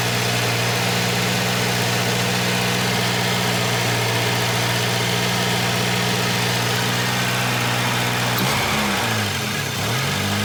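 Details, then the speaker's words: Junkyard-repaired Volvo 240 just started cold: cold idle with a loud raspy hiss and puffing over the engine beat, like an almost open downpipe. A bad exhaust leak. "Oh boy, there's a bad exhaust leak because I can hear it right here. Like it's an open downpipe almost."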